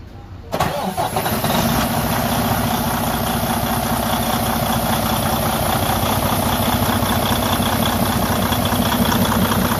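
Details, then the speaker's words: Freightliner Cascadia DD15 diesel running with loud rhythmic chuffing and heavy puffing from the block; excessive crankcase blow-by from a compression leak through a broken, cracked cylinder liner. "today i'm going to show you what causes that problem a excessive blow by coming from the crankcase area"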